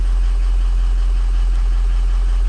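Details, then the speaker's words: Ford Powerstroke diesel with ARP head studs, losing coolant, ICP reading about 0.16 on cold start: deep steady idle with even low rumble, no misfire or knock; injectors sound healthy; normal cold-start idle. "fired up good watch the on them injectors sound good too [Music] yeah that sounds really good"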